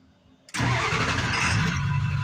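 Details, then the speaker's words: 1999 Ford F250 two-wheel-drive, 7.3L Power Stroke diesel, six-speed, 308,000 miles, already warm after a crank/no-start was solved: a short crank, then it catches almost instantly and settles into a steady, even idle, a normal start. "and that's how it's supposed to start"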